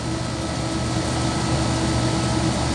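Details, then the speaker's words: 12.5-ton AC on first stage, tested before any work, 65°F outdoors in light drizzle: a low fan rumble with a faint wavering hum and weak, uneven airflow. Superheat is a little high, capacity is rising and static pressure is 1.4. Low airflow from clogged filters and a loose, cracked belt. "temperature split is not bad but look at the airflow this is a 12 and a half ton mind you"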